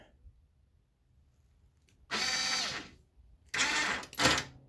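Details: Newly mounted winch with fairlead on a Yamaha Big Bear quad: two short bursts of electric motor whir with a steady gear hum, starting and stopping cleanly. The winch works normally.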